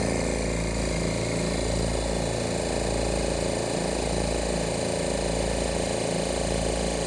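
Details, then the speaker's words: Oil-less twin-motor dental air compressor with its reed valves repaired, filling from empty: steady, even piston thumping with no knocks or misses; it cuts out at about 110–115 psi and restarts at about 90. "you can hear the the speaking anyways she set shuts off at about a hundred and ten hundred and fifteen psi and then kicks back on at about ninety"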